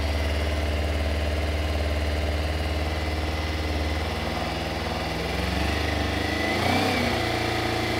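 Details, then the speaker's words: 1996 Kawasaki ZZR 600 (ZX600E), bought non-running after long storage, started on choke with fuel tap on reserve in neutral: uneven lumpy wavering idle that bogs and stumbles when throttle is opened; runs but won't take throttle. "Okay, it runs. It runs. It doesn't like any throttle, but it runs."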